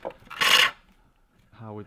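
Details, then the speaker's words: Pole lathe bowl turning, later pass with a hook tool at steady rhythm: long even rasp with no skipping, now almost a full continuous cut across the whole bowl. "it becomes a fuller cut. So it's almost the whole cutting the whole bowl at the minute."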